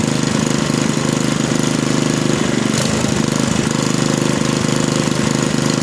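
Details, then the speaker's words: Small lab engine after static governor readjustment removing slack from the linkage: even after throttle manipulation, returns to a fast steady no-load buzz without hunting or surging; governor again controls top no-load speed. "so you can see even with manipulating the throttle once i let go of it the governor is able to restore a stable top no load speed so the governor once again has control over the engine"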